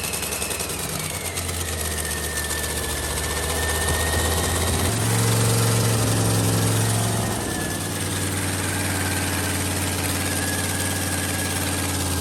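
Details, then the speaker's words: 1969 Dodge Coronet, 383 big-block V8 with homemade eBay turbo kit, during first-start break-in, running a little hot: heavy, loud tractor-like idle with a brief rev rise; exhaust leak at the muffler. "sounds pretty good sounds awesome sounds like a monster tractor yeah it has an exhaust leak it's coming out of that muffler right there"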